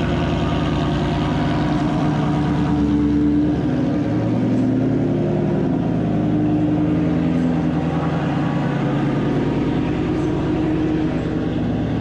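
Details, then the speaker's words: 2019 Ford Mustang GT V8 with active exhaust, cold start after about 24 hours sitting, in a garage: extremely loud deep rumble at high cold idle, no quieting at all; quiet start mode failed to work. "okay as you can tell that's extremely loud and that was absolutely not quiet start"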